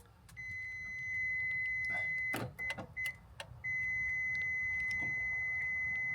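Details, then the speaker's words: Toyota Prius that won't power on (power button dead, dash showing only door open and a flashing key): a high, steady electronic beep with short breaks, sounding because the door is open. "I don't know what the beeping noises are. The beeping noise is because the door's open."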